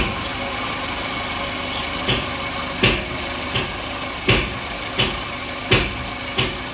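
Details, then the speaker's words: Toyota Avanza at idle, RPM surging up and down in uneven bursts about every second; parts already swapped with no fix, engine previously opened; mechanic suspects compression leak or head gasket, cause unconfirmed. "ini kita ada free check yang avanzanya itu pm-nya ngayun-ayun atau naik turun naik turun"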